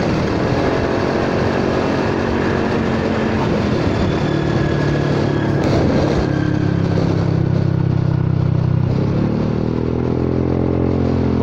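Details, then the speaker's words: Honda Forza 300 scooter, riding with a cheap Chinese aftermarket exhaust whose sound suddenly changed. Uneven, hollow, louder-than-normal drone rising and falling with throttle, feeling restricted; the muffler's inner baffle has come loose and slides up and down. "เกิดอะไรขึ้นไปดูกันดีกว่าโอ้ยเหยียบขี้โคลนมันลงไปแล้วนะเนี่ยไอ้ลูกข้างในมันหลุดออกมามันเลื่อนขึ้นเลื่อนลงได้"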